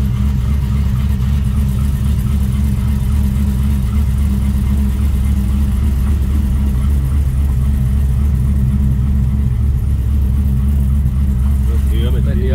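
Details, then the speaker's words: Road test after fitting an M80 Torque-locker 3.46 differential: steady low engine and tyre rumble only, no whine or howl from the rear axle; the new diff sounds quiet and healthy. "oh yeah we're uh test test run to see if this diff makes any noises it"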